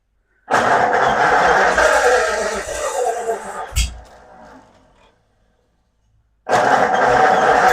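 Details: 1936 Ford Flathead V8 in a belly tank racer, first start after a new starter, spark plugs, fuel pump and carb rebuild. Fuel was poured into the bowl, choke partly on. A rough crank dies away, then the engine catches and runs evenly.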